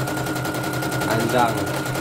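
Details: Serviced embroidery machine, previously jamming with skipping bobbin-case hook; test-stitching lettering: rapid even stitching chatter, steady motor hum, no jams or knocks; running normally. Renewed jamming would indicate worn dynamo shaft.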